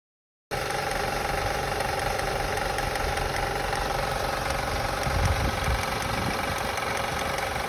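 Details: 2005 Acura TL petrol engine idling after start, with a light, fairly regular clicking of about four per second over it. The source is unknown to the owner.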